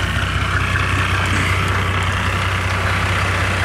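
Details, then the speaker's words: 1987 Mercedes-Benz 300D diesel after installing a Hushpower Pro 3-inch muffler on 3-inch pipe from the catalytic converter: a steady low idle clatter with a deeper, throatier, more performance-sounding exhaust note, even and unbroken; normal idle. "now let's take a listen to it and we can see the difference has a little bit as a little bit of more of a performance"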